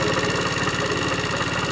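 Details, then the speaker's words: Neglected Tao Tao scooter engine run after sitting for years, idling with light valve/rocker ticking and a fast, even deep internal knock; owner suspects connecting rod knocking on crank, not confirmed. "i can hear a little tapping from the uh the lifters the rockers but there's a distinct sound right inside the engine that sounds like it's knocking sounds like the connecting riders knocking on the crank"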